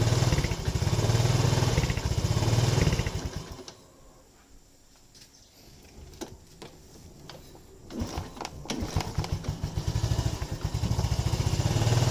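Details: Yamaha Lagenda 115 Fi fuel-injected motorcycle, hard to start and stalling, won't hold idle: single-cylinder idle thuds unevenly, sags almost to dying, then stumbles back; dirty throttle body starving the idle.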